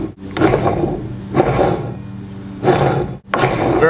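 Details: John Deere 60D 60-inch mower deck gearbox, about 300 hours, oil just changed, metal in oil, 1/16-inch shaft side play: harsh grinding growl in slow uneven bursts as the shaft turns; bottom output shaft bearing failed.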